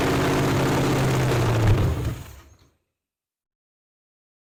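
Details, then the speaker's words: 1967 Ford Mustang 289 V8, parked 22 years, running on very limited hand-fed fuel: lumpy, uneven stumbling beat that sags to silence within three seconds; number six hot, one dead cylinder not keeping up; rough running misfire. "one's hot number six is really hot but our dead cylinder back there it's not it's having a little hard time keeping up"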